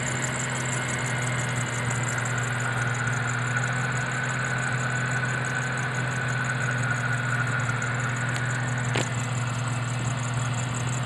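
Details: JRSC supercharged engine at idle: steady high-pitched squeal over an even idle without pitch change; slipping supercharger drive belt.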